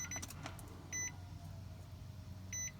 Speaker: can hear the prime pump kick on go down there and just listen to it here you can hear it do not attempt to start the vehicle while it's priming and so this can go on for as long as 90 seconds